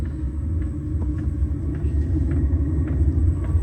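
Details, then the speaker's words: Chinese diesel air heater fitted to a Corvair, piped into the defrost line: low steady combustion rumble with faint evenly spaced fuel pump ticks as it fires up, quiet from inside the car; running normally. "the fuel pump makes noise but you really can't hear it when you're inside the car and just that fast this thing's fired up and within another minute or so it's going to start blowing some hot air"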